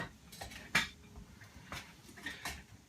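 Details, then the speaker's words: Wheelchair tie-down retractors in vehicle, brakes released and chair pushed forward and back once: a few irregular sharp clicks about every half second as slack is taken up, then quiet; clicking stopping means correctly tensioned, normal. "maybe you'll hear some clicking when the clicking is all done that's this where it needs to be"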